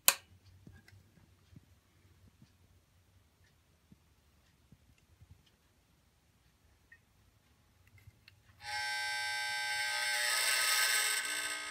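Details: Salvaged washing machine motor with two-speed centrifugal clutch, fed AC through auto transformer at about 100 volts (likely normally 120 V): after near silence rises to steady even high-pitched hum, no rattle or roughness; normal motor run.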